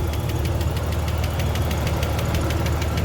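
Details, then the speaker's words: 1993 Ford Falcon Fairmont Ghia inline six, first start after years sitting and fixing a ground connection: idles with a quick, light, irregular ticking over a low steady hum; tapping at idle, source unknown. "all right guys it started oh she's running all right let's do this yeah she's tapping a little bit but she's going"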